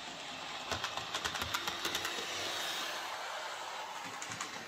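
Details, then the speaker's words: Hornby J36 model locomotive, previously screeching, after adding gear oil mixed with white grease to the worm gear: quiet small motor with soft irregular track clicking and no screech or squeal; runs smoothly after lubrication. "so yeah that seems to fix the problem just uh the gears needed lubricating that was all"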